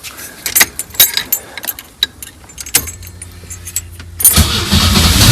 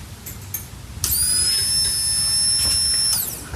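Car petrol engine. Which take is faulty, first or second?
first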